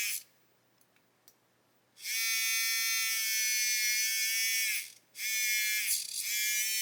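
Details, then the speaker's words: Hachette Avro Lancaster model engine motor on a bigger battery pack and test board: a thin, high whir spins up, cuts out and restarts, binding when the motor is pushed slightly off centre. "Look, if I push the motor slightly off centre, you can hear something starting to bind. Motor's just blown up, I think."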